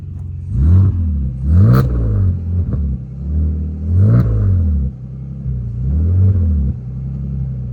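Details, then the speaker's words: BMW E46 wagon: several quick throttle blips rise and fall cleanly with no ticking, puffing or rasp; exhaust sounds sealed and healthy. "Give it a good one. Hell yeah. It sounds good. It sounds good."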